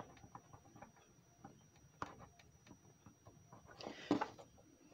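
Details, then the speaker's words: Oil-filled electric radiator space heater with an overheated, softened plug: faint irregular clicks and pops as the plug is moved, from loose internal terminals with excessive play, arcing inside; unit judged unsafe and scrapped. "that should not be making that popping noise you can feel it with your fingers you should not have excessive play it should be tight like this one right here"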